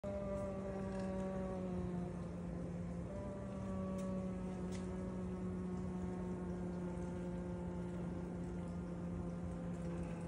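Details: KitchenAid KDFM404KPS dishwasher running unusually loud: steady droning hum near 190 Hz with water-spray hiss.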